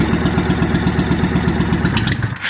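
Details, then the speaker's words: 1998 Honda Shadow VT1100 abandoned bike, run without radiator or coolant: lumpy uneven V-twin firing falters and dies with the choke closed. "oh there we go didn't want to run with the choke closed but fired right back [Music] up"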